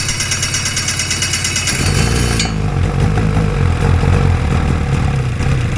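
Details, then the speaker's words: Two-stroke hovercraft engine with fuel supply unhooked runs lumpy and uneven at low speed with irregular pulses and stumbles; fuel dripping from the carbs, rich and flooding. "I've unhooked the fuel supply. See if I can run a little bit of, get it to run for a minute without flooding out on me. It seems to be flooding out."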